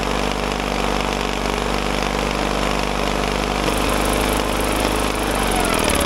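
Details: Caterpillar dozer parked since 1992, gasoline pony engine after cleaning breaker points: quick steady putter, then sags and stops near the end, later guessed to have run out of gas; otherwise runs evenly.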